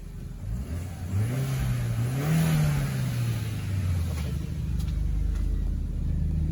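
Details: Audi B6 1.8T after replacing a broken serpentine belt idler pulley and tensioner (battery light had come on, loud noise): engine blips cleanly and settles back to steady idle, no belt squeal, chirp or rattle. Normal revving.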